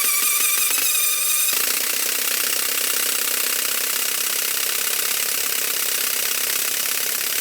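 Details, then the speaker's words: Retired military generator engine (4A032 four-cylinder or 2A016 two-cylinder): long, steady cranking about four turns a second, never firing; won't start, owners suspect it is tight. "it's so painful to hear it spinning over so much yeah I think it's tight yeah I mean that could be part of the reason why it's not running"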